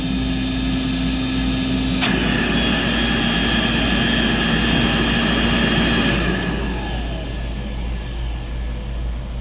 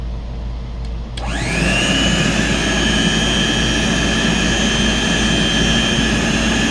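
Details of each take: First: Vintage Compact C1 vacuum cleaner, cleaned and repaired, worn commutator, bag removed: steady motor roar with a thin high whistle on top that stops when the inlet is blocked; owner suspects odd airflow, cause unknown. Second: Vintage Hoover Compact C1 canister vacuum, well-used motor with worn commutator, cleaned and repaired: motor spins up and a thin, steady high-pitched whistle/whine rides over the airflow rush; stops when the inlet is blocked, so owner guesses odd airflow, not the motor.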